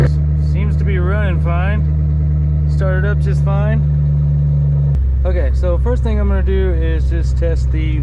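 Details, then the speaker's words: Ford Mustang GT with a WOT Box two-step set up, rev limiter set to 6700. The engine is held firmly at one steady high rev with a deep, even drone; the launch limiter is holding rpm as intended. "looks like it's working pretty well let's do it one more time oh yeah that works just fine"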